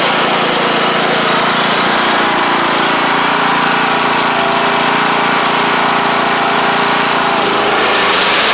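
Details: MTD Craftsman LT1500 riding mower with replacement single-cylinder engine, first run with blades on: steady, even buzz with blades spinning, no misses or surging while driving along; running fine.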